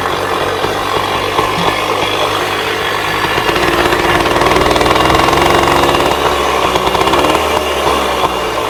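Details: 1966 Bultaco Lobito two-stroke motorcycle after yearly storage, warming up: crackly idle with blips rising and settling, slightly ragged but keeps running; normal idle for this vintage bike.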